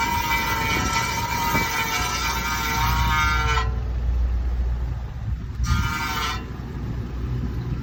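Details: 2007 Honda Accord sedan grinding and screeching at slow speeds when turning left, harsh metallic screech over low road rumble; cause was a bent brake dust shield scraping the inboard side of the rotor, fixed by pushing it away from the rotor.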